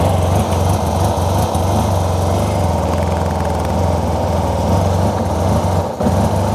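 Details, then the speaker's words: Yamaha TMAX, fuel injected, long sat, after reinstalling ignition: loud uneven low idle with ragged stumbling pulses; ECU ruled out, owner suspects a wrong fuel-air mixture, possibly an air leak or fuel delivery. "I know now that it's not an ECU issue but there seems to be some sort of fuel air mixture that's not right"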